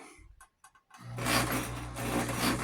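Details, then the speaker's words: 1974 Kenmore 158 series model 12271 sewing machine, as bought, uncleaned, first run in about a year: it spins up to a steady whirring hum with a faint uneven rasp and sounds rough inside. Opening it later revealed lots of lint and some pins. "doesn't sound sounds like it's a little little rough inside. I'm going to tear into it, oil it up, see if I can get it to run a little better than what it it sounds"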